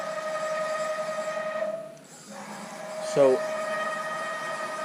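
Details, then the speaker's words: Haas VF-3 retrofit with Chinese servo drives, Y axis jogged by MPG handwheel: steady high hum with clear whining tones while the axis moves. Servo gain set too stiff so the drive sings. "It's not that bad. You hear that humming, that whining or whatever?"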